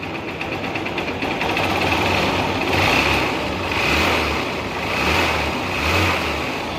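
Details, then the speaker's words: Supremo after replacing a soft part with a firmer one (engine had been noisy since an oil change): engine note rises and falls gently with revs, with no knock or rattle over background hiss. Quiet again. "Okay na sir, wala na. Tahimik na ulit."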